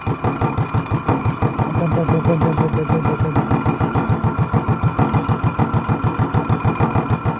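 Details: Honda clone single with stage 1 kit, header, 10-pound cast iron flywheel and cam work, idled down to about 500 rpm with light load, no governor: slow heavy thuds about three a second, uneven gaps, lazy hit-and-miss-style beat; normal.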